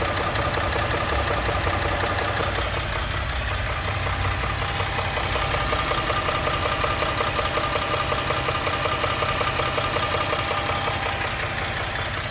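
A regular knock, nearly three beats a second, taps steadily over a running engine at idle; clear engine knock, cause unknown.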